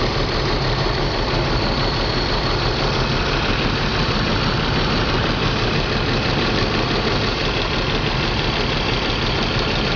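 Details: BMW 325 M54 every-morning cold start: lumpy, unsteady idle breaking rhythm, intermittent misfire on cylinders 3 and 5, sometimes 4; CCV, plugs, coils, fuel filter replaced, injectors cleaned; stops once warm, cause unknown.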